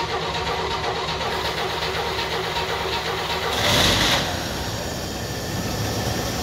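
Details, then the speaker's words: 1964 Chevrolet Impala convertible (Antwerp-built), inline-six, first start after sitting since 1995: even idle with steady patter under heavy background noise, no misses or stumbles; not too much smoke, possibly from two-stroke oil added; owner checking oil pressure. "even idly not too much smoke do we have oil pressure"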